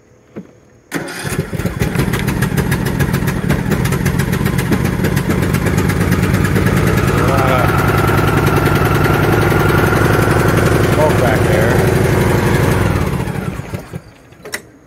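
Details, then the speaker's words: Husqvarna R120S articulating all-wheel-drive riding mower, engine possibly 20 hp (unsure), started on choke after sitting: short crank, then the single engine fires at once and holds a steady, even putter about four beats a second; runs healthy. "But this thing runs, what is it, R120S?"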